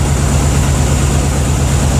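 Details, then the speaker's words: 1992/93 Ford F-150 bought running terribly with high idle, no mufflers, possibly a glass pack: a loud, lumpy, uneven idle with deep chugging, stumbling as if several cylinders are dead. It is misfiring from incorrect distributor wiring. "ut the negative clamp on all right y'all can hear how the truck sounds all messed up"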